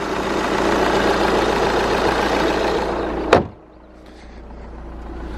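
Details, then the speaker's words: Volkswagen TDI diesel idling under the open hood, original stock VW battery getting old: even diesel clatter with no knocks or misses, cut off by a hood slam; the engine idles normally. "So that all sounds normal."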